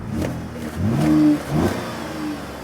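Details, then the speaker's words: Cadillac SRX4 from another shop, check engine light on, O2 sensors apparently replaced earlier: two short revs that stumble when accelerator first pressed, like the engine not breathing correctly; hesitation and power loss, cause not yet found. "here's that little droo d when you first uh step on the accelerator pedal. It's like the engine is not breathing correctly."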